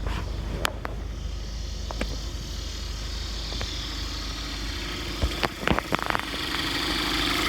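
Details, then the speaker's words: 2014 Cadillac ATS turbo direct-injection engine at idle, AC off, after installing a new vacuum pump: smooth, quiet idle with only light fast high-pressure injector tick, no more rough idle or loud ticking; normal idle. "And it runs really smooth now. Just, you know, like what normal would be like normally. There's no rough idle"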